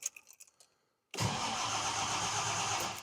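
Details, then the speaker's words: 1970 Jaguar XJ6 with redone SU carbs, starting on choke after refitting a loose wire that had come off the starter motor; catches almost at once and settles into steady even running, oil pressure rising well; normal engine start. "Just keep the choke on for a little bit. Oil pressure's coming up nice."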